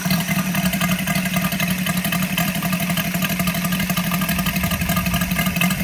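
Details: Saito FG-73 R5 petrol model engine with MMM hardware upgrade, 32:1 fuel mix, Biela 20x10 four-blade prop, 600–5500 rpm: fast, even firing with crisp steady exhaust pulses, no misses or rattles; normal running.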